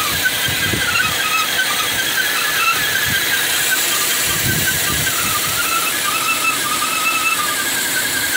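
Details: 2012 Cadillac CTS4 3.6, once warm: a loud, steady high squeal over a hissy engine that sounds like a front cam bearing, caused by a PCV system someone opened up sucking air as a vacuum leak.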